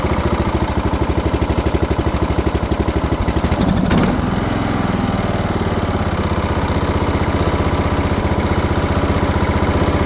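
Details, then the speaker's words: Briggs & Stratton 17.5 engine on a tow-behind mower with a five-foot deck, after a valve adjustment to 0.015 in: it runs steadily, much better than before, with a brief rough stumble as it still spits back through the carburetor. Owner suspects the valves need to be tighter. "so as you can see it's running a hell of a lot better than it was or it sounds better it's still spitting out of the carburetor a little bit so maybe that 15 thousandths of an inch for the valves is not perfect"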